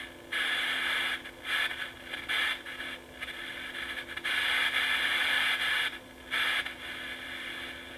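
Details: Sony FD20 Watchman flat-CRT portable TV under repair, switched to empty UHF band: steady hiss with a few brief dropouts, normal no-signal static.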